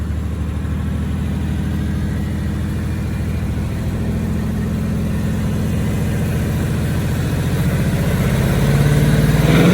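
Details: 2018+ Mustang GT V8 revved progressively higher: deep, steady burble climbing with throttle, with no tick even at higher rpm after the owner's fix for the former engine tick; healthy engine.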